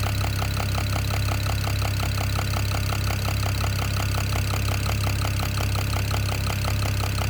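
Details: BMW E92 335i N54 at idle: sharp, regular knock about three per second, evenly spaced. The owner suspects the top end but is unsure; the origin is undiagnosed.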